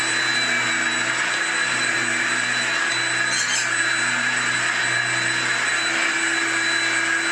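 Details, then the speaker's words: Hoover Junior U1650 (Turbopower) upright vacuum after repairing a spun-off fan that had caused no airflow: a steady high whine with an even rush of air and no scraping or rattles; sounds perfect. "so yes folks she is back that's all it was a spun off fan these things are reasonably now that obnoxious anyway so I would say that sounds perfect"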